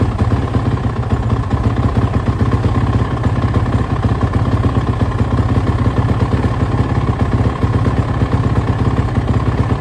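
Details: Suzuki RMZ450 first start after major engine and head work, on choke, kick-started: loud, lumpy single-cylinder idle with RPMs jumping erratically and clatter; a lean condition is suspected because the head was glowing.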